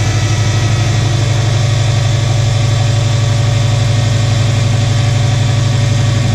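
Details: 2006 Subaru Forester 2.5 right after replacing all four coil packs and spark plugs: reluctant start, then settles into a steady low idle with a smooth even beat, no misfire or knock; hard start, cause not confirmed.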